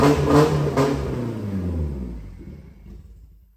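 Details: Nissan 240SX S13 with swapped naturally aspirated SR20DE from S15, first start, fired on first crank: lumpy uneven beat that sags and dies away; rough running, cause not yet known.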